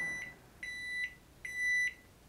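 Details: Digital microwave after repair, heating 10 seconds: three clear, steady high-pitched beeps in a quiet room signalling the cycle has finished normally; it heats and turntable spins.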